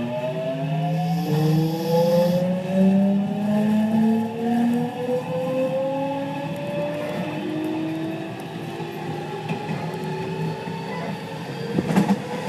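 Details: JR West 207 series 1000 T17, recorded aboard KuMoHa 207-1037 (Toshiba GTO inverter), Tokuan–Kōnoike-shinden, iPhone 5s, accelerating: two sets of rising whine tones climb and clash, as the Nishi-Akashi/Shin-Sanda-side inverter modulation is out of step with the Kyoto/Kizu side.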